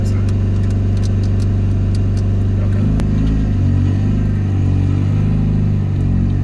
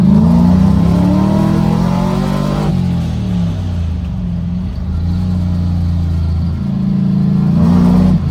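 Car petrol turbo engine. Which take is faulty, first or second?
first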